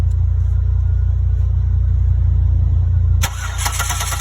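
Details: 2008 Buick Lucerne 3.8 crank no start: even starter cranking about three turns a second with no firing, scanner shows zero rpm; cam and crank signals scoped at ignition module, module faulty.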